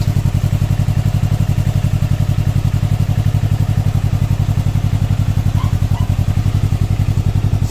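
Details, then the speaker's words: Can-Am Ryker 600 just after K&N air filter install: steady fast idle with deep even thumping pulses, slightly throatier intake than stock, not much different, no ticks or misfires; sounds good, normal running. "Not that much of a different sound, but I can hear it. It's a little throaty. Sounds good."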